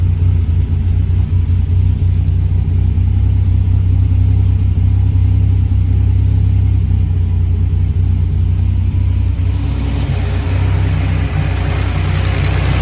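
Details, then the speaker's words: Buick WE4 after the cam sensor fault was fixed: the engine starts and runs smooth and steady with a deep even rumble, building slightly, with no misfire or stumble heard; normal idle. "She's alive. Ha. Stupid cam sensor. Stupid cam sensor. I hate you."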